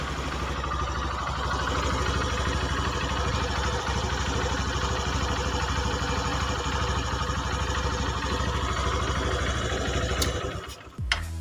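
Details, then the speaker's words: Honda Megapro New 150cc after top-end rebuild with cylinder boring: an even, smooth idle with a steady low beat and no knocks or rattles until shutdown; no longer smoking or fouling plugs, power improved. "itu ya suaranya seperti itu dan cukup halus dan yang pasti nggak gagal ya pada pembubutan"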